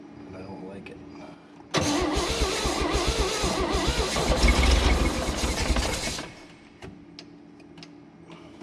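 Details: 1965 Chevrolet Bel Air 230 inline six sitting 35 years, first start: runs rough about four seconds on five cylinders with loose fast top-end valvetrain rattle and uneven beat, then shuts off.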